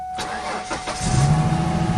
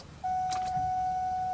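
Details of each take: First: 1999 Ford Mustang sitting for several years, cold, cranks but wouldn't start: cranks a few strokes, catches, settles into a low, slightly lumpy idle; misses and shakes attributed to air in the fuel system; starts after extended cranking, running rough. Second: 1999 Ford Mustang that sat for years, jacked up, key cycled on: a steady, fairly quiet mid-pitched whine of the electric fuel pump priming normally. It is quieter now that air bubbles have been pushed through.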